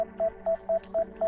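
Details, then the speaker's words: DJI Mini 5 Pro controller during a waypoint mission at 0 degrees, drone hovering and refusing to land on return: short mid-pitched beeps about four a second, nonstop; warning cause unknown, possibly obstacle sensing blocking landing. "Let's come forward and get rid of the beep. There we go. Oh, no. Come on. Okay. I don't know why it's still beeping."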